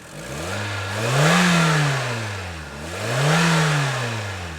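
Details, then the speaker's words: Used Hyundai donor engine with 212,000 km, oil slightly overfull, evidence of regular servicing; two clean revs rising and falling smoothly, steady firing with no misses, knocks or blow-by; normal revving. "blow-by, which is a good sign. Righto. So we might have scored ourselves a good deal here."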